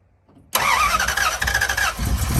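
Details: 1969 Dodge Dart with ignition trouble, started cold in neutral with the gas pedal held down about half an inch: a few seconds of silence, then it catches at once and settles into a steady, even run. Warming up until the choke opens.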